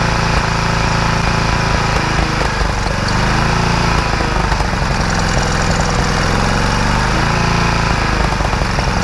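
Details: Free generator after repair, final test, started on choke with fuel on: steady, loud, even low engine drone with a busy rattle on top, holding speed without surging; running normally.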